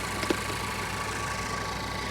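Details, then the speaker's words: 2013 BMW 328i salvage-auction car, alternator charging 14.2 V: quiet, smooth idle with steady low hum, no stumble or knock; ran a little rough at first start, now idling well; transmission problem suspected. "well the engine started running a little rough when we first fired it up and honestly it sounds real good right now"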